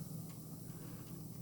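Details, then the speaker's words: Panasonic RX-CW55L boombox, cassette deck playing with no tape audio: a steady low buzzing hum with light hiss, a motor whine. Owner suspects bad capacitors, not confirmed. "So I mean, it sounds pretty good. You can, and it was kind of hard to hear with music on there, but if I just hit play with nothing, you can hear a motor whine, so I think some caps in this might have gone bad. You can hear a bit of that buzz."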